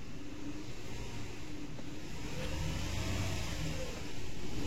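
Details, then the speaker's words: Mercedes AMG V6 with customer complaint of poor pickup and missing under load, no check-engine light; revving with an uneven, stumbling exhaust pulse and steady miss, suspected bad coils, coils and sensors still to be checked. "তো গাড়িটা start করে এখন দেখে নিব সমস্যা গুলা start করে এখানে চেক করতে হবে মিসিং"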